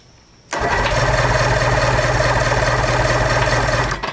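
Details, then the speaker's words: 1990 Johnson 130HP outboard, seized after sitting 10 years and freed with penetrant and a crowbar: about three seconds of heavy, even cranking with a hard metallic edge and no firing; a metal-to-metal noise whose cause is not yet found. "the metal to metal noise is could be this which we will get to"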